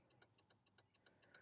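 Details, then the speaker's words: 2005 VW Passat turn signals during diagnosis, a bulb disconnected on each side: rapid relay ticking about seven clicks a second, hyper-flash from the missing bulb, better than before. "now of course the lights going to be flashing fast because we have a bulb disconnected on each side but we have a better result than we did before"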